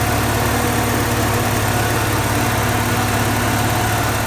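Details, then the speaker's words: Porsche 944 idle after adjustment down from about 1,250 rpm to roughly 1,000 rpm (stock 950–1,000): steady, even hum with smooth pulse, no misses or knocks; normal idle. "Alright guys, she's running what sounds like 1,000. It's just a little over, but that'll do."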